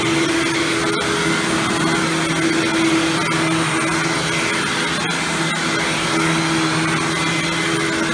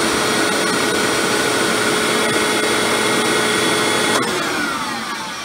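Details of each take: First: Hoover Windtunnel Supreme upright vacuum after motor replacement, test run without headlight: steady, even motor whir at constant pitch, no grinding or rattles, much better than before and no longer the loud wind-down sound; normal running. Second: Hoover Windtunnel Supreme upright vacuum with motor before repair: noisy running, harsh high-pitched whine over fan roar, then unhealthy noisy wind-down as the tone drops; owner convinced the motor bearings are slowly on their way out and plans to oil them.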